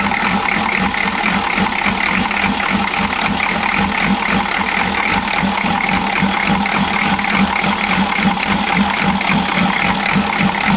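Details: Chevy G20 van with 6.2L diesel and a grease-caked intake manifold, uneven idle clatter stumbling about three times a second, never settling; misfire, owner suspects a timing problem.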